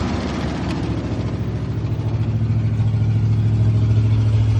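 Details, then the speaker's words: 1968 International Loadstar, just started after tapping the carburetor bowls (likely a stuck float), new Holley inline electric pump: fast, steady V8 burble climbing to and holding a raised idle. Idle is high with the choke on. "Tapped the bowls a couple times and must have been stuck float or something. Running fine. Idle sounds a little high, but"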